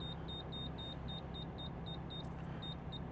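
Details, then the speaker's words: Toyota Mark II JZX110 while driving: Defi oil pressure gauge warning beeps, high and evenly spaced about three or four a second over road hum, then stops; engine doesn't knock, so owner suspects a faulty sensor, later replaced. "pressure gauge is beeping. I don't know if you can hear that. It's gone now."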